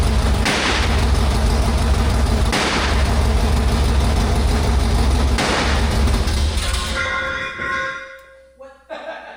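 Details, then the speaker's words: Stroked 400 big-block Dodge (Mopar) cranking with MSD ignition: heavy low rumble broken by a deep boom every two to three seconds, backfiring through the exhaust; timing suspected, plug wires had been moved, distributor untouched since dyno. ">> So backfiring through the exhaust. >> Yeah. >> Timing wise."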